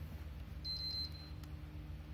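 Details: Used PS4 with all cables removed except power: pressing the eject button gives three quick high beeps and the white light returns, but the console never powers on; cause unknown.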